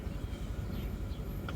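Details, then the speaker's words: 2003 Honda Civic idling roughly with uneven thumps and growing shake after running a while; a misfire, with fuel injector two previously found not working. "You see you got a misfire coming up. Slowly it's starting to shake."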